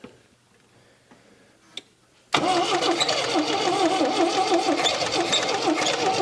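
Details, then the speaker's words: 1979 MGB, long-dormant, first start after cleaning oil-caked spark plugs: engine catches and idles with a loud, wavering high squeal from the slipping drive belt; owner suspects the alternator is seizing, it got hot, and the belt was then removed. "That did it, didn't it? The belt's going nuts. Why is that? I wonder if the alternator's seizing up on it."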